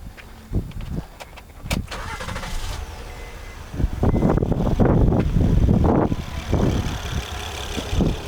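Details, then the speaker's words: Honda Accord with misfire after another garage's tune-up; uneven lumpy idle with irregular thumps as a cylinder drops out; swapping plugs and coils pointed to a bad spark plug. "Misfire still there. Starting with this one. Listen. No change. Bad plug."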